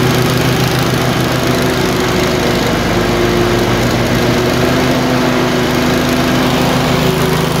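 Twin runs loud and steady overall, but pitch wavers and beats drop out at random; it surges and misfires intermittently, cause not yet isolated.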